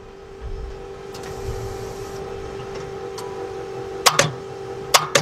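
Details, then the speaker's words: Car with a failing starter, key tried twice. Two sharp double clicks with no cranking over a steady hum; tapping the starter can free its sticking part. Failing starter motor, clicks but no crank. "first thing we're going to do is verify that it doesn't start so try it two times"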